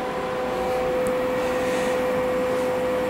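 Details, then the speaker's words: Mill servo motors, unbelted from the leadscrews, holding position after jogging: steady, even mid-pitched hum over faint hiss with a little rubbing, slight vibration felt on V, X and Y motors; normal holding sound. "when the motor stops moving a little bit of rubbing north from the motors that consider normal this is just the sound of the motors trying the whole position"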